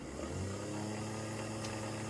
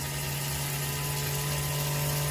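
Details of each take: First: Old-school Athearn Blue Box gray jet motor after about 20 minutes of tune-up, stabilized near 0.46 A: steady, even hum, constant pitch, no catching or rattling; runs smoothly and freely broken in. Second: Old Athearn Blue Box gray jet motor at about 11 volts during tune-up break-in, current dropping to 0.6 A: loud steady hum with rough buzzing rattle; noisy motor running in.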